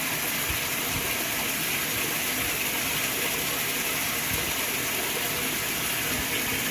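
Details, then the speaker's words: Whirlpool washer being tested for a bad lid safety switch, set to small load and cold water: steady rushing, hissing water with a faint motor hum underneath; the tub fills normally with no unusual noises. "so let's just let it fill up put it on small and what's put on cold"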